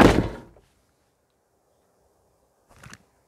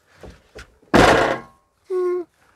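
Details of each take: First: Motorhome passenger door with Mobil-Safe door safe, after fitting extra buffers: a single solid thunk as the door shuts, then quiet, no rattle or buzzing. Closes cleanly. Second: Mobil-Safe door safe on a camper van's passenger door (X290): two light knocks, then a heavy door thunk with a loose clattery tail as the safe lid has play because too few rubber buffers were supplied, before adding extra buffers.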